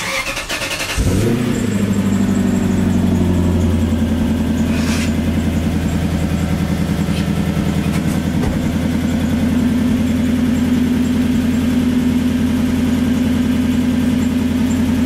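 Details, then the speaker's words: 1997 Lexus SC400 with 1UZ V8 barn find: cranks, catches and idles with an uneven, stumbling exhaust pulse, heard at the tailpipe; engine misfire at idle. "this is what happens bring them to the tailpipe so they can hear the misfire"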